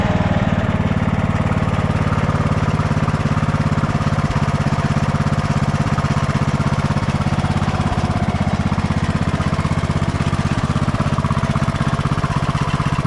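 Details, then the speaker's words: 2004 MTD Yard Machines Gold riding lawn tractor, 20 years old, after oil change and carb cleaning (needle and seat good): steady, fast, even chugging at constant speed, no surging or misfires; runs smoothly and healthy. "yeah I'm very happy with the way it's running right now"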